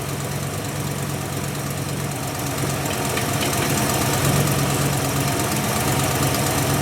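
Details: Ford Mustang with a 347 V8 rebuilt last fall, carbureted, just started after winter storage: steady, even idle with a deep lumpy burble, no knocks or misses; sounds healthy.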